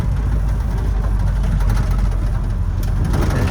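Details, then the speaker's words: Toyota Land Cruiser with power steering, driving slowly in fourth gear in a parking lot; heavy low engine rumble with a faint gear whine, windows rattling, yet it pulls well and shifts fine. Gear whine in fourth gear. "i'm in fourth gear right now and you can hear it's got a little bit of a wind it's a gear noise but it runs and shifts you know just great doesn't seem to have any issues whatsoever"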